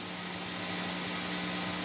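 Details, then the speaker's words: Abandoned tube radio brought up to 100 volts, 15 milliamps: constant low hum with a second tone just above, steady; replacement filter capacitors suspected poor, silver mica disease feared. "Okay. At 100 volts, 15 milliamps, and there is a hum. So we know that the capacitors that someone put in there are probably not very good."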